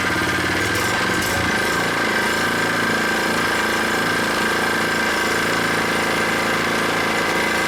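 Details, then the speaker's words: New Predator 79cc single-cylinder small engine on first start-up after unboxing, freshly oiled, no choke needed, warming up at a steady fast idle with stock muffler; even firing, no misses or knocks, sounds solid and healthy. "Let it warm up a little bit. This engine feels solid, sounds good."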